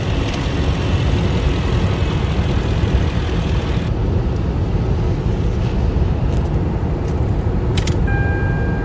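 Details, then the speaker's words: 2004 Lexus LS430 after repair: it would not crank or start after a car wash, and the fix was tightening a loose engine ground. It now idles steadily and evenly with no knocks, misses or surges, though the check engine light stays on. "After I tied the ground, the car is running good. Everything okay."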